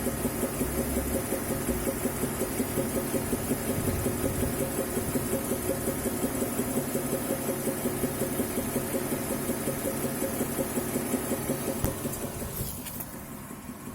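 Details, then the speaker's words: BMW E70/E71 with N55 engine and 8-speed gearbox, hot after 10+ km driving (about 108°C), mic at front fender, hood closed: dull knock near three per second at idle, quickening with revs; source unlocalized (engine, gearbox or transfer case suspected). "но то есть прям тук тук тук тук тук стоишь на холостых и его слышно он очищается если дать оборотов при поднять обороты то он начинает учащаться этот стук локализовать не могу то ли коробка то ли раздатка то ли двигатель не понятно где он находится этот стук"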